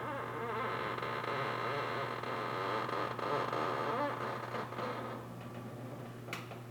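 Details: Lexus IS300 clutch pedal: creaky rising-and-falling squeak each time the pedal moves, not fixed by greasing; worn plastic pivot bushings causing metal-to-metal contact, before replacement with new Toyota bushings.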